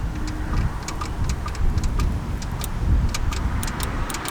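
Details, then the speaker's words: Dodge Dart Swinger 225 Slant Six being revived: rocking the distributor rotor so the reluctor passes the pickup produces sharp irregular snapping sparks that grow stronger; ignition spark present. "Okay, the more I do this, the stronger it seems to get. There's no real reason for that. But you can hear it really snapping now."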